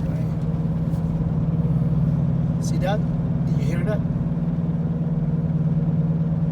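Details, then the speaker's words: 2014 Ford Escape at about 90 km/h, noise from 80 km/h up, louder turning left: low steady drone with slow wub-wub pulse about four per second like a helicopter; mechanic diagnosed worn driver-side front wheel bearing, owner first suspected transmission. "i thought i thought for the first time that it was a transmission but uh last night that it was the wheel bearing it looks like helicopter right"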